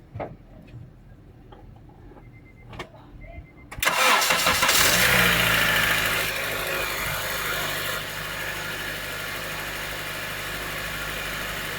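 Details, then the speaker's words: Acura TSX after replacing power steering pump o-rings to cure a cold-start sucking noise, checked the next day with no leaks: starter catches, engine settles to a steady idle with no sucking or groaning from the pump. Normal cold start. "all right so i'ma start off and the noise is gone"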